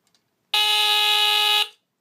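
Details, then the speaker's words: 1977 Sears Early One 350.57046 smoke detector (Fyrnetics F-900D rebrand with heat sensor), Kobishi CLB-27 brass squealer horn, test button: loud, steady, very low-pitched buzzing horn about a second long with a coarse, raspy tone; cause of rasp unknown. "of raspy sounding I kinda I do like the sound of it though really unique sound"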